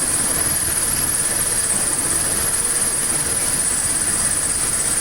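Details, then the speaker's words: 1979 Triumph Spitfire first idling after its fuel system was hooked up, with coolant low: a steady, even idle with no knocks or misses, a smooth hum and a faint high hiss, not smoking. Normal idle. "that's quiet though not smoking or anything sounds good though problem all right it burns like a kitten folks"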